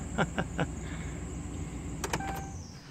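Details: 2010 Dodge Ram: a few clunks, then the power window motor hums with a short thin squeak rising over it as the glass moves.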